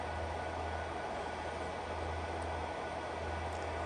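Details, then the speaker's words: iPollo G1 Mini ASIC miner after replacing its worn 60x60x20 mm fans: steady, even high-speed fan rush with a constant low hum, the grinding is gone; fans running normally. "so certainly a little bit louder than our gold Chow Asics but definitely tolerable and we got rid of that grinding sound which was driving me crazy"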